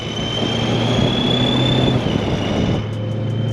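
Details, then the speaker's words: Supercharged BMW E9x M3 at idle, during a job installing AKG polyurethane motor and transmission mounts: a high steady supercharger whine over the idle rumble, dipping slightly in pitch. It resembles a bad belt pulley or wheel bearing but is normal. "hearing what sounds like a supercharger on this thing is just so weird and it kind of sounds like like a bad belt pulley or like since it's happening at idle slightly"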